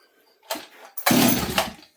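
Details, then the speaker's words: Stihl 026 chainsaw with a good blue spark, seemingly getting fuel: two quick pulls with throttle spin it over with a brief whir but it never catches. Owner suspects flooding; it later fired with the choke back on. "thing is about this s this time is it seems to be getting fuel but it hasn't popped off yet I don't hear it fire let's try it one more time let's try it with throttle okay it's like this thing's flooding"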